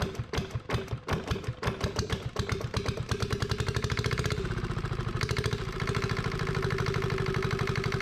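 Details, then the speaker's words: Yanmar 1GM single-cylinder marine diesel on a sailboat, restarted after reassembly while flushing calcified cooling passages with diluted muriatic acid and water running through: a few uneven coughs then steady even knocking idle, running properly, smoke mostly stopped. "I just wanted to start it up I got that water going through there I know the lighting sucks um but thank goodness that I've got it running"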